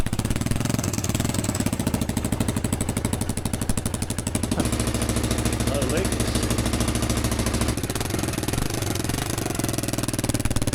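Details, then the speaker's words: 30-year-old Kawasaki KLF300 4x4 quad bike after restoration repairs, started straight away. Sharp, loud popping exhaust pulses rise with throttle, the harsh raspy note of a hole in the exhaust pipe leaking; the pipe is to be patched. "That sounds really good. Started straight away. She's pretty loud because there's a hole in the exhaust there."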